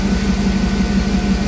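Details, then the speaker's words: Jeep TJ on newly installed ACES Jackpot EFI replacing MicroSquirt, cold garage: low even idle pulse, steady hum, no stumbles or shaking; sounds way better than the old setup, which pinged. "it is cold in here but it sounds much better I mean it sounds a hell it sounds way better"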